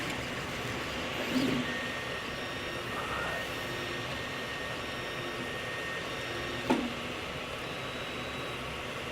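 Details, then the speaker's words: Solidoodle Workbench 3D printer printing a base, belt tension apparently reasonable, X axis fine: two sharp pops several seconds apart over the steady stepper hum. The Y axis is skipping steps, cause not found. "and you can hear the little slipping here the popping that's going on in there"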